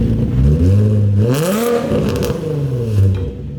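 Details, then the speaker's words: Nissan 350Z (VQ engine) with a rebuilt custom exhaust and nicer muffler replacing a broken, obnoxious one: deep, smooth exhaust swelling through a couple of blips then settling, not harsh or droning; way quieter, sounds good. "Hell yeah. I'm honestly stoked on that. That sounds really good. It's not too loud, it's not annoying."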